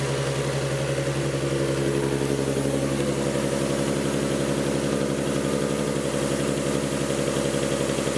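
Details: Nismo 370Z idling after an oil cooler install, restarted once the leaking cooler fittings were snugged up. Steady, even idle with a regular beat and no knocks, ticks or misses; no oil leaks this time.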